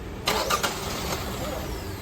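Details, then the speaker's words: Both camshaft position sensors (intake and exhaust) unplugged: the starter spins the engine over steadily but it never fires, a crank no-start. With the sensors plugged back in it starts and runs, since the PCM uses them mainly on startup. "try it again yeah it won't start so now if we plug him back in it will start and run"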